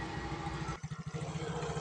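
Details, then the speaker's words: Yamaha Mio scooter after greasing CVT pulley rollers to fix rough rattling noise on throttle with brakes held: steady, even engine thrum with a brief rev dip, no scraping or knocking from drive side; normal CVT running. "Oke teman-teman, ternyata sudah tidak berbunyi lagi ya seperti awal."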